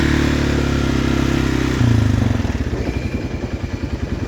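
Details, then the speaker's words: 2016 Polaris Sportsman 570 after rebuilt crankshaft, original piston and cylinder reused, part not bolted on: drone settles into uneven thumping knock about three times a second as it slows; owner suspects piston knock, clutch also noisy. Engine knock. "I don't know why the clutch is making that noise and slows down. It's got a, I think that's a piston knock. You hear it in there?"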